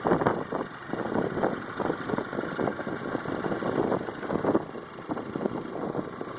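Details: 2008 Volkswagen Passat 2.0T FSI at idle with light, quick ticking over a steady idle, normal direct-injection injector tick; acceptable, no cause for alarm.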